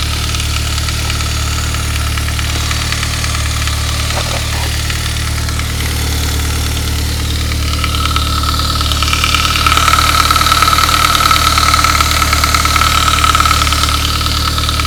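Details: 1999 Saab 9-3, 110,000 miles, after a head gasket job, cold start: quick, even rattle about three per second that fades after a couple of minutes. A worn upper timing chain guide was the cause; replacing it cured it.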